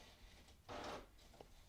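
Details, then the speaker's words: HP DeskJet 3755 automatic document feeder failing to pick up the original during copying: short whirring rasp of the feed rollers for about a third of a second, then quiet; the page isn't taken in, so it must be re-inserted and retried. "You see, you're gonna hear the printer making a noise. It's simply trying to grab the paper. And if you flicker it like this and the paper goes out, it means it didn't succeed, so we need to restart it."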